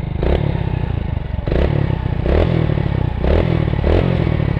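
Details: Old Hero Splendor, after clutch housing replacement: four quick throttle blips rise and fall cleanly, returning to a steady idle between them with no clutch rattle; normal revving.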